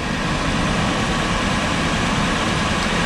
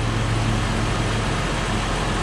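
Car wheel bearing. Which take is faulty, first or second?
second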